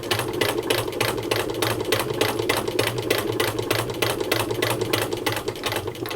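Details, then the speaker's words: 1923 hand-cranked Singer 15K sewing machine sewing fabric: even, steady clatter of about three stitches a second with no knocking or binding, stitching like butter with a good strong stitch; normal stitching. "like butter i tell ya like butter look at that isn't that nice it's a good strong stitch just fine"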